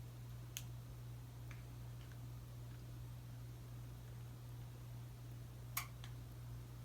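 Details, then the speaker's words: Casablanca S3 ceiling fan, Rhine Versa•Touch 1B receiver with built-in reverse, fan off: one crisp relay click over low mains hum as reverse is pressed; normal, no separate reverse module. "You still heard the click even when the fan is off. That's because the whole thing is inside the receiver and there is no separate reverse module."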